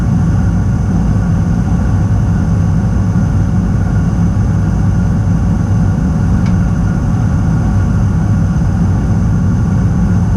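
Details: Weil-McLain boiler fired back up after servicing a no-heat call at a rental (igniter suspected): steady, even low roar with no pulsing or flutter; burner lit and firing cleanly, heat restored.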